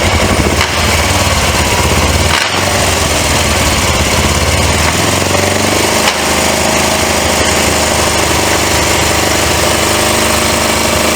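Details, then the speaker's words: Suzuki GS450 GA automatic motorcycle (bought with a bad transmission), first start after carburetor cleaning: loud engine with a harsh, rattly grinding that comes and goes, like it wants to jump gear automatically. Owner suspects something bad inside the transmission, cause unknown without teardown. "still kind of making that grinding sound you hear it like it wants to Jumping gear automatically something inside of there bad"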